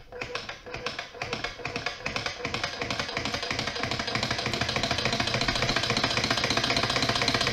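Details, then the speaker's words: Twin opposed Scotch yoke solenoid engine run at reduced voltage: quick solenoid clacks speed up over a faint steady whine from the Cytron driver's PWM pulsed DC, whose frequency falls in the audible range. "Also, you hear kind of an annoying little whine when those solenoids are energized, and what that is that's the pulse width modulation signal from the driver."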